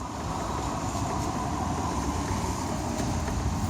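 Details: Opel/Chevrolet Ecotec engine running with a light, uneven clickety rattle from the top-left of the engine, consistent with a failed intake camshaft VVT actuator, a common issue that needs replacement.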